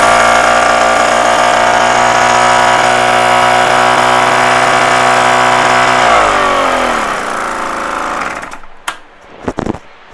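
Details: Solex Cyclogalet moped two-stroke after bottom-end rebuild, air leak fixed and new exhaust fitted replacing clogged one: steady high-pitched buzz for about six seconds, then winds down and stops; runs clean and even, normal running.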